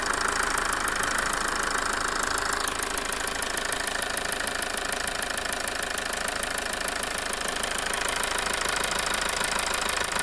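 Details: Toyota 2.2 diesel after replacing a faulty injector that had caused a rough idle and loss of power: a steady, even diesel clatter at idle with no stumble or misfire, running smoothly.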